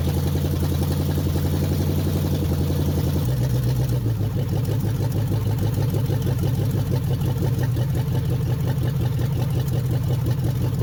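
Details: 1969 Chrysler 300 V8 refired with temporary carburetor, open exhaust manifolds, 70 psi oil pressure: loud deep idle with uneven loping beat that settles slightly after a few seconds; owner suspects slightly retarded timing or manifold sound, unconfirmed.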